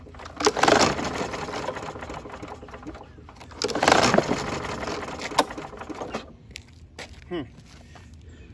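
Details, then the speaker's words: Hydrolocked 2019 Troy-Bilt TB110 push mower with a 150cc Briggs & Stratton engine, overfilled with oil and with a broken blade adapter: two quick rasping recoil pulls with the spark plug removed, engine spinning free to expel oil from the cylinder. "I'm going to go ahead and get my uh stand camera stand so I can then pull the cord so you can see it spit out the oil zoom in here look for any oil that comes out as I pull cord"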